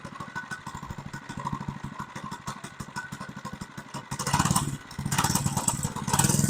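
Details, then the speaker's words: Monster Moto 80 minibike revived after sitting outside a couple of years (frozen throttle cables, rusted chain), started on choke: the small single revs in uneven bursts, popping between blips, and returns cleanly. Runs all right. "it seems to run all right"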